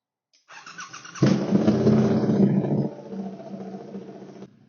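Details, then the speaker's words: Triumph Bonneville Bobber after DNK remap flashed via TuneECU, adaptations reset, catalytic converter removed: starter whir, engine catches with loud bark, settles into steady even idle; starts cleanly and runs fine, very loud. "Now as you can hear behind me, there's an absolute decibel weapon now with the cat removed."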